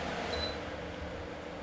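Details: B&Q 7-litre digital air cooler after repair, stepped through speeds one to three: steady, even airflow rush with a smooth motor hum and no rubbing or rattle. The fan sounds healthy.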